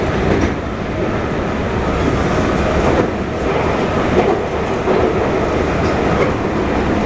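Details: JR 221 series Yamatoji Rapid (field-added excitation control, max 120 km/h) onboard running sound between Oji and Kyuhoji: loud steady rail roar at speed with a dull repeating thump; wheel flat on the recorded car.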